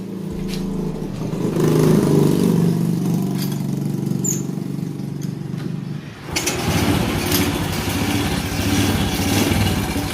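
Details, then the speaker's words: Honda Supra Fit New motorcycle engine idling with heavy exhaust smoke; single-cylinder idle sounds coarse, uneven and very noisy, about four beats a second with a rattly edge. Rough-running engine, cause not yet diagnosed before teardown. "Oke, setelah asapnya itu ngebul, itu suara mesinnya sangat berisik sekali. Nah, oke, teman-teman sudah dengar. Tadi sudah mendengarkan suara mesinnya bagaimanakah? Jadi suara mesinnya itu sudah sangat kasar sekali."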